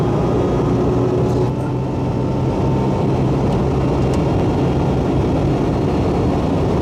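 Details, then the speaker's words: Supercharged 2002 Nissan Xterra at almost 80 mph after exhaust leak repair (sealed with copper RTV) and supercharger belt refitted: steady low engine drone and road rumble, no whistle or ticking; earlier noise came from underneath, not under hood. "so I'm no longer having exhaust leak so anyway it's not making the noise now and I've got the supercharger belt back on"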